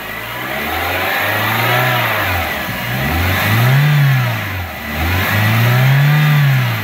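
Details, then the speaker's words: 1995 BMW E36 318i four-cylinder, 140,000+ miles, after alternator replacement: engine revs smoothly several times with no squeal or chirp; old alternator's squeaking bad-bearing noise, worse when cold, is gone. "Well, as you can hear, the annoying noise is gone."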